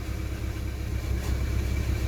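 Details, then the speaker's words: Rover 45 on a cold start after weeks unused: petrol engine idling with a loose, uneven metallic rattle from the drive plate at the front, expected to quieten; tappets now silent after earlier work. "And as you can hear, the rattles that are from the drive plate at the front."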